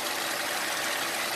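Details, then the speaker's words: 2008 Ford Fusion 2.3L idling with a P0171 code: a steady airy hiss over the quiet engine from a small vacuum leak, suspected at the PCV valve or hose, later found underneath the intake. "don't know if you can hear it but we have a small vacuum leak coming from somewhere keep getting a coat of p0171"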